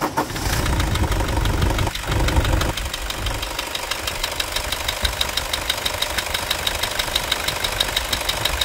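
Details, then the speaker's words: Toyota Hilux 2.5 diesel idling: even clatter and a light steady tick from the engine itself, no belt squeal or scraping; accessory belt drive healthy. "então o motor tá com barulho tá um pouquinho mas isso esquece o barulho do motor do barulho da correia"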